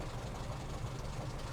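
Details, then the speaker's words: Austin A40 Farina, hot after a drive, with developing misfire, dropping oil pressure and flickering ignition light; exhaust note swelling and dropping, unsteady lumpy surging idle instead of earlier purr; ignition fault suspected, distributor to be checked. "see when we listened earlier it was purring now it's got that almost like a surge constantly going through it's not necessarily coughing on this one but it's like a surge really lumpy"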